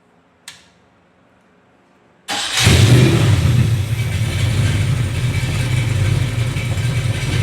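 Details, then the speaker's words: Rebuilt 366 cubic inch big block Chevy on an engine test stand, out of the car: a click, then the engine catches instantly, flares up and settles into an even idle; clean, healthy start. "Starts right up. You got to love it when these old big blockers fire up like that."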